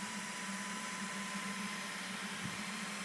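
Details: EV conversion electric motor spun with the flywheel bolted to the coupler on the adapter plate: steady, even hum with a clean constant tone, no vibration or knocks; running smooth and true.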